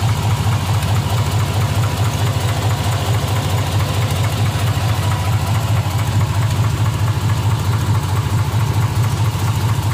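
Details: 2005 Chevrolet Z71 with L33 V8 block rebuilt less than 20,000 miles ago, at operating temperature: steady low idle rumble with a regular knock about two to three per second; knocks only when warm.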